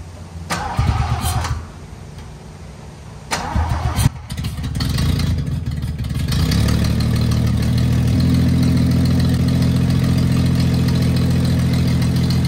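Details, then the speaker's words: 1974 Toyota FJ40 barn find, not run in about five years: a couple of cranking tries, then a loud raspy idle with a puffing tick; owner notes a big exhaust leak under the hood. "so yeah no break uh no temperature gauge and some sort of big exhaust leak under the hood but I had a good time"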